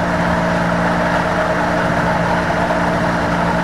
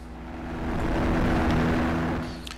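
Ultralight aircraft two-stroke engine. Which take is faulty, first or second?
first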